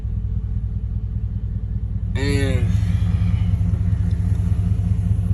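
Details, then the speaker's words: 2012 Ford F-150 with a no-crank/no-start thought to be caused by a module under a panel loosened by someone's foot, which was blown out and reseated; a brief crank, quick catch, then a steady, even rumble, with a normal start and idle. "so I guess they loosened it up so I got the truck started as you can see"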